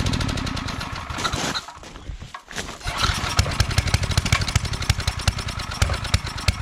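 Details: Coleman Powermate 5000-watt generator, sat a couple years, after oil change, fresh gas, cleaning and new fuel line clamp: small engine catches, sags almost to a stall, then pops along in uneven lumpy beats; running weak.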